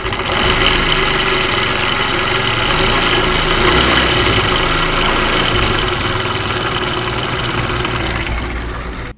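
Loud metallic clatter over the idle, about four raps a second and fairly regular, from a worn, loose cam chain and tensioner guide.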